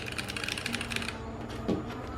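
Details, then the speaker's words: Vortex POK3R keyboard, stock Gateron Brown switches with thick cherry-profile keycaps: quick crisp keypress clacks in a fast run then a single press; normal switch sound. "They are stock, unlooped, and so V. Yeah, okay, good. Then that's how they sound like."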